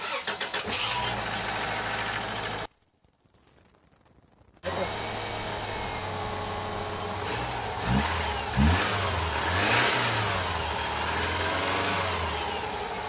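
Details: Subaru started after new spark plugs were fitted: a brief crank, it catches quickly and settles into a steady, even idle with a blip; blue smoke came from oil that had dripped from the valve cover gaskets around the plug boots.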